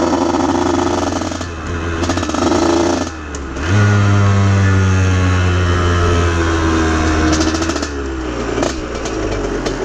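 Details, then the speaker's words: Aprilia RS50 hybrid with a Yamaha YZ85 two-stroke engine, after swapping in oil-soaked clutch plates, filing the basket and adjusting. It buzzes healthily at idle but bogs and chugs as soon as the throttle opens on the street; owner suspects a tuning issue. "as soon as i hit it just it just died immediately just bogged just right off the bat"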